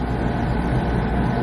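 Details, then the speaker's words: Home boiler fired by jumpering the TT thermostat terminals: steady deep roar with even rumble, no pulsing or sputter; burner operating normally. "As soon as I take this jumper away here, well, we'll let it fire for a second. There we go. She fired."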